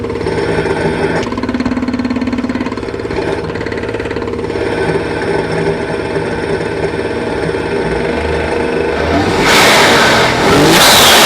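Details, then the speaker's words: Nissan RB25-swapped 240Z: regular knock about three to four per second over the revving engine, strongest under load; owner suspects a spun bearing (oiling issues), possibly a snapped connecting rod. Engine knock. "so i don't know if this car has a spun bearing or a connecting rod snapped i'm not too sure but it's probably just spun bearing these have oiling issues so most likely that's what it is"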